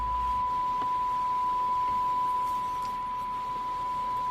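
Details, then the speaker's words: President Washington CB base station that had no AM receive or audio, after repair (bad crystal found): clean steady 1 kHz tone over low hiss, AM receiving again on frequency; relay may need cleaning. "yeah so receives a little it's a little low probably clean up this uh this uh relay take that apart clean that up but we're back on frequency now receiving"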